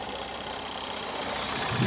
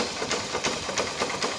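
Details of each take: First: Honda Unicorn 150 in neutral after repair of a "dak dak" idling and clutch-bell noise: single-cylinder idle is even, with light mechanical patter and no heavy knock; the earlier noise is gone. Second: Honda Unicorn 150 motorcycle idling in neutral: light metallic rattle ticking rapidly over the single-cylinder idle, changing when the clutch is pressed; clutch basket (clutch bell) rattle from worn rubber dampers.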